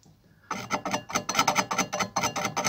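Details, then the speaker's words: Chainsaw chain sharpener correctly set: grinding wheel lowered with only slight resistance, just scraping the tooth in short, light rasping strokes about four a second, crisp and even without heavy bite. "il faut sentir une petite résistance quand vous descendez votre votre aphteuse mais légère vraiment légère [Musique] voilà il faut entendre ça"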